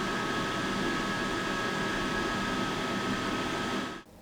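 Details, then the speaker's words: AFERIY P280 power station (2,800 W inverter, 248 Wh LiFePO4) after 10 minutes at maximum rated load. The cooling fans give a steady airy rush of about 57 dB at 3 ft, with a peak temperature of 106°F: normal full-speed fan noise. "Now, after 10 minutes of running the maximum load, the cooling fans produced about 57 dB from 3 ft away. So, they do make a bit of noise when running at full speed."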